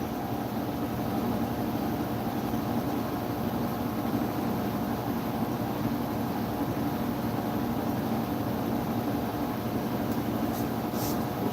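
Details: Scag 36-inch walk-behind mower after engine replacement and cleaning: smooth, steady engine drone at constant speed with no misses, surges or knocking; mower running healthy.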